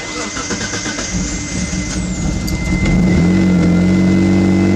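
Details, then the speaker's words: Mitsubishi 3000GT VR4, not run in a while, with relocated battery: starter turns slowly, about four chugs a second for three seconds, before catching and settling; weak, nearly dead battery drags the crank, runs nicely once alternator picks up. "takes a while for it to start up because the battery is kind of dead."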